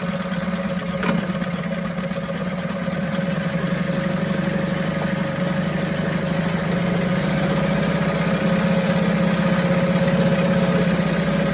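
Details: 1974 US-made Mercury 4 hp single-cylinder two-stroke outboard, revived after long storage, running in a test tank after reassembly: steady, even buzz holding pitch throughout with no misses or knocks, runs like a top; normal running.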